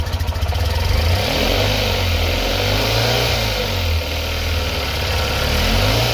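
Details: Tata Nano CNG that stalls after start, misfiring and backfiring; plug cables, spark plugs and fuel pump already replaced; revs rise unevenly with stumbling, choppy pulses under throttle, traced to a bad oxygen sensor.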